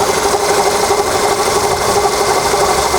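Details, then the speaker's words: Volkswagen Polo engine running: loud steady rasping rub pulsing about three times a second, new since two days ago, on the right side; valve ticks are separate; owner suspects water pump, others suggest tensioner roller bearing. "Вот он слышно, как будто что-то трется."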